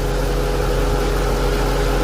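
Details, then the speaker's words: Infiniti M45 with VK45DE idling after replacement of the belt tensioner pulley and a test drive: smooth, even idle with a steady low hum; the earlier pulley noise is gone. "all right guys so after the drive checking it out you see the noise is completely gone does it make that noise anymore"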